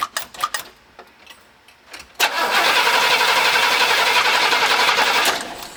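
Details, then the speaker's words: Engine cranked with a JFEGWO CS02-PRO 8250A jump starter. Fast, steady cranking at about four turns a second for three seconds never catches or fires; the engine cranks but won't start. "okay well the the engine didn't start but that's okay"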